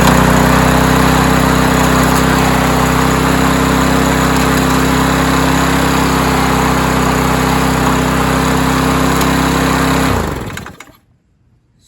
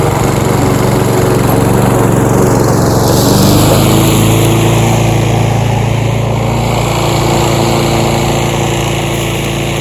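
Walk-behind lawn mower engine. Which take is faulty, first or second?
first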